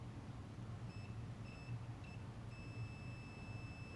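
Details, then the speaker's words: BMW R80/R100S airhead diode board tested with a continuity tester, probes on the diode back and soldered side: short high beeps, then a steady tone while contact is held; the diode conducts and is good. "swap hands like that and there you go see how that makes noise"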